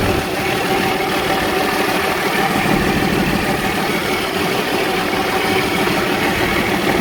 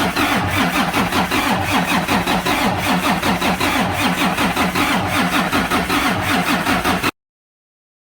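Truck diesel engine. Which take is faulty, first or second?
second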